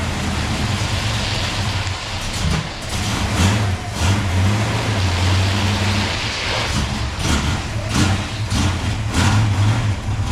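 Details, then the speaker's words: 1971 Mustang with a 347 stroker and 5-speed manual swap: a deep, boomy V8 exhaust drones harshly through restrictive stainless flap-plate muffler restrictors. It sounds much better once they are removed, after the collectors were welded. "okay that sounds absolutely horrible Carl he stainless steel little restrictor got to goly he PL to get a new exhaust but that sounds so much better these things are just horrible little flap plates in there like what a restrictor"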